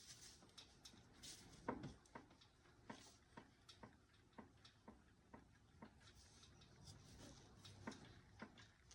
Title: What would you say is making this noise, front driver's side